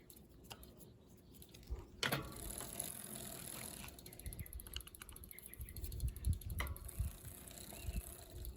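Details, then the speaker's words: Bicycle rear derailleur after adjusting the limit screw out from the wheel, pedalled on the big cog: soft even chain whir with light freewheel ticking, earlier grinding gone; chain running happy and in line. "That seems pretty happy and in line."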